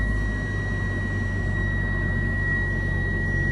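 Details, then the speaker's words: Used Japanese kei car at auction, started and idling smoothly: constant high-pitched electronic warning tone over the idle, thought to be the open-door warning. "I'm not sure why it's beeping. Is it because my door's open? Yeah, I think it's because my door's open."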